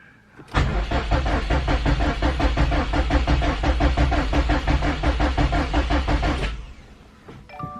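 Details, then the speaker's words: 2018 Subaru STI, first crank after Process West manifold and 4-port boost controller install, not run in a while, clutch and gas held: six seconds of fast even cranking without catching; crank sounded bad, cause unknown; it later started. "That didn't sound good. Well, that crank did not sound good at all. So hopefully the motor's not fucked."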